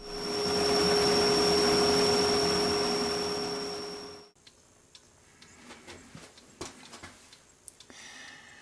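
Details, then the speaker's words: Drilling a pen blank on the lathe for a brass tube: steady piercing high squeal about four seconds from the drill bit riding on its bevel; fixed by rotating the bit about 10 degrees counterclockwise so only the point cuts. "Those of us who are turners will know what I'm talking about here when I say the drill bit was riding on the bevel. This bevel here. All I did was I turned the bit about 10 degrees counterclockwise, and then only the point was digging in."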